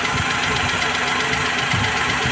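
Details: Maruti Suzuki Alto 800 petrol engine idling unevenly with irregular low thumps; misfire traced to one cylinder (cylinder 2), with a faulty valve suspected.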